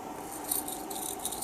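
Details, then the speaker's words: Worn ball bearing from a press-fit shaft, a few days out of warranty, spun by hand: loose gritty rattle, bearing knackered. "and that bearing is knackered hear it it's horrible this bearing"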